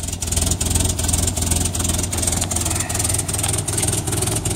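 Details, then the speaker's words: 1961 Land Rover Series II, cold idle after new muffler and hanger bolts: sharp regular puffing tick over low rumble; exhaust leak at the downpipe-to-manifold joint, still to be fixed. "now all you can really hear is the exhaust leak where the downpipe meets the manifold"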